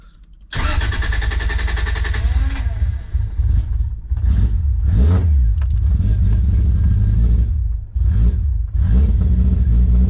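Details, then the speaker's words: Toyota Supra JZA80 2JZ-GTE on a new Haltech 2000 with a rewired loom, first start; engine catches after brief cranking into a slow, lumpy, hunting idle; no idle control yet, so idle speed set too low and needs winding up. "looks like it needs the idle wound up a little wee bit so we'll do that as it's got no idle control at the moment"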